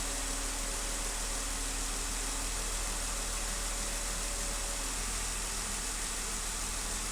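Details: 2015 Jeep Wrangler at idle with cylinder 1 misfire; rough, uneven exhaust beat with a dull stumble several times a second.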